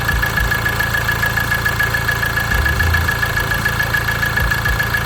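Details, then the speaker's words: Ford Transit Connect diesel at idle after oil sump replacement: loose, uneven rattle pulsing about twice a second under the clatter, from the worn crankshaft pulley harmonic balancer. "But the noise having the crankshaft pulley, as you can see."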